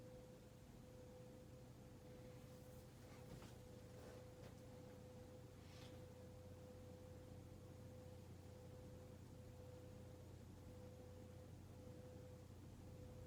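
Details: Hunter Mayfair 52-inch four-blade ceiling fan from 1988, barely used, running on medium: a quiet, steady hum with a faint even tone and no ticking or grinding. The bearings are dead silent and the fan runs normally.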